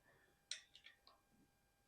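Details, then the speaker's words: Bicycle upgraded from mechanical to hydraulic disc brakes, front wheel spun after re-centering the caliper: sharp light ticks at uneven intervals, a few in two seconds; a portion of the rotor is slightly bent and brushes the pads, not terrible. "okay now I barely hear it I hear it hitting every once in a while so that tells me the a portion of the rotor is definitely bent but it's not terrible"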